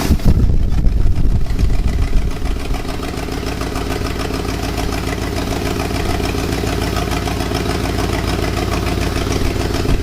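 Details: 1966 Lincoln Continental unregistered about 9 years, just started and still cold: loud, rough V8 idle with fast, uneven puffing tick over the rumble from an exhaust leak up front.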